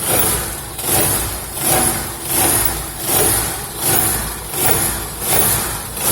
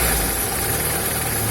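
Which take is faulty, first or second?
first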